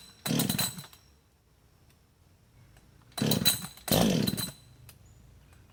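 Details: Husqvarna 562XP chainsaw, hot after running and sitting 15+ minutes in the sun at 91°F and about 100% humidity: three cranking bursts with no firing. The primer bulb draws no fuel, so it won't start until cool; the owner suspects vapor lock.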